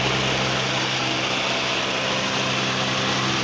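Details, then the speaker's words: 1989 Mazda 323 (BF) with AC on, condenser and cooling fans both running: loud, steady rushing whir with a low hum and no ticks or wobble. Fans run smoothly. "Probably you can hear my voice or the fan here. This condenser fan is on."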